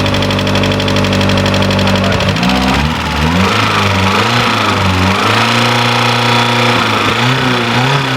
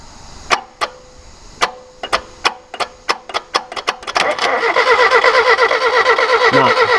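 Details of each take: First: Ford TX3 Turbo B6T twin cam, first start after fitting new injectors and plugs; catches, pitch rises and dips as revs settle, then holds a steady even idle; running properly now. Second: Crank-no-start on a just-bought Ford KE TX3 Turbo with a B6T twin cam, front-wheel-drive manual. Plug pulled to check: no spark. Slow starter bursts, then steady cranking with no firing. It has power and dash lights; something behind is likely not connected.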